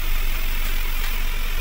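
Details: 2023 Ford Ranger 2.0L 4x4 diesel, push-button started before an engine bay wash, with no check-engine light. Steady low idle with an even rumble and no knocks or misses; the engine sounds healthy at rest.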